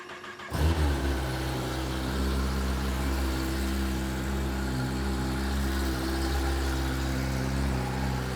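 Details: 2021 Kawasaki ZX-10R in stock form, started indoors: quick start with a brief blip, then a smooth, even idle with a steady low note while warming up; healthy.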